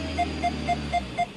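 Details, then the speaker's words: Mini Cooper with newly added rear backup sensors, reversing in the rain on a test drive: clean evenly spaced beeps about four per second, speeding up nearer the obstacle; parking sensor working normally. "okay you hear the beeping backup sensor"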